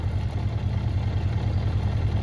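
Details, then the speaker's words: Honda CB400 Four after tappets reset, warm: smooth, even low putter at idle, steady exhaust beat, no internal clatter; may not even need carb balancing. "So it probably might not even need balancing. Flipping out, well happy with that. That's how it's meant to sound. Just the exhaust note, not the flipping internals of the engine."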